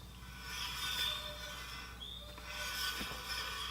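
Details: Heybike Ranger e-bike front wheel hand-spun, soft hissy scraping swish swelling and fading each turn as the disc brake rotor rubs, before brake adjustment to remove squeak and noise.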